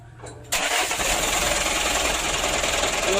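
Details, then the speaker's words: Mitsubishi Canter diesel truck with hard starting, after adjusting fuel load, governor and idle and tightening bolts: short crank, catches at once, steady even idle with no stumbling; normal start. "hidupnya sudah mudah Ya udah berarti"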